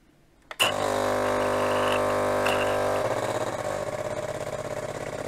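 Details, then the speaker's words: Jura espresso machine after replacing its scale-clogged heater: sharp start, then a steady buzzing hum settling into quick, even pulsing of about three per second as the pump fills, with nothing leaking or dripping; normal pump operation. "Expres się napełnił puśćmy jeszcze raz tą wodę żeby on się dobrze napełnił no ale widzicie od razu ożył nic się nie leje nic nie kapie"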